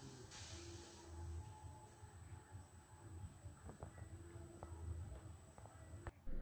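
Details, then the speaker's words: Bose L1 Pro16 PA speaker just after switch-on, even with volume down: a thin, steady, high-pitched ringing whistle over faint hiss, audible from a distance, stopping abruptly; a fault in the unit, not ordinary mains hum or hiss. "this isn't the normal mains hum that you can hear through speakers or the hiss that you can hear through speakers this is hiss from the bose"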